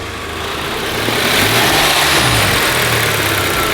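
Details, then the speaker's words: VW Golf GTI petrol engine on a ramp, right after revving: idle hunts, drone swelling and sagging, engine rocking as if misfiring and about to stall; cause not yet confirmed. "For some reason, straight after I'd revved the car, when it was dropping back down to its idle, it was kind of hunting for its idle and sounding like it was misfiring,"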